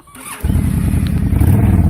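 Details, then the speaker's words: 2005 Honda VTX before Cobra slip-on and jet work, first baffle drilled with about five 3/8-inch holes, cold start at about 15-16°F: catches after a brief crank, settles into a deep, loping, even V-twin thump. Normal running. "Want to hear the sound of it prior to the work, and then we'll come back after we put on the Cobra slip-ons and do the jet work."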